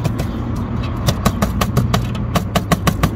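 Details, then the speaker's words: Car at idle while stationary, under the car near the front catalytic converters: sharp metallic rattles roughly every fifth of a second over low idle from a loose exhaust heat shield that wobbles; it must be fastened. "der ist lauter und der wackelt auch hin und her damit wenn ich so drauf habe ist das auch ziemlich laut also den müssen wir irgendwie befestigen"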